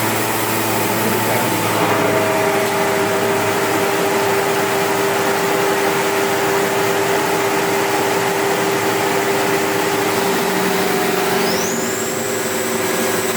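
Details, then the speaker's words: One-owner-from-new 2002 SEBO Automatic X1 upright vacuum: a steady motor drone with a coarse, uneven rattle and no clear rhythm throughout. This rattle is the fault, and its source is not pinned down. "can you hear that Rattler noise that's the problem we've got"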